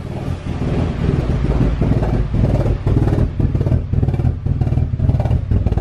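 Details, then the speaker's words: Car with nearly dead battery, jump-started after sitting in below-freezing snow: uneven, lumpy idle hunting about twice a second, stumbling like it will die, lots of smoke; rough cold idle, cause unclear. "all right so i shut off the car really smoky let me attempt to set it up again it was idling really weird"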